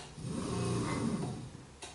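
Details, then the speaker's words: Minn Kota 70 lb bow-mount trolling motor run with prop off, losing thrust: rough grinding growl swelling as it spins up, armature scraping and wobbling, before armature and brush assembly replacement. "Listen to how loud it is. You can hear it. There's a scrape there."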